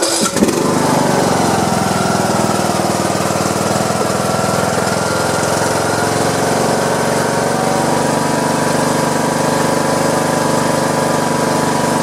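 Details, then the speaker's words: Craftsman YT3000 with Briggs & Stratton 21 hp single-cylinder, after a no-start with a rattle on cranking, repaired with a new pushrod and a Loctited, torqued rocker arm stud: it catches right away into a steady even thump. Normal running. "but it sounds like it's gonna run pretty strong now let's see see if I can do this with all I'm holding my battery or holding my camera"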